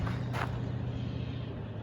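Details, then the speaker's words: Dodge Dart V8 with new exhaust, heard from outside after shortening a faulty high-tension lead that was arcing to the coil positive: deep, even, loud burble at a steady low pitch with no misses; normal running. "i've never even heard her from the outside actually sounds alright she's pretty loud that's pretty cool"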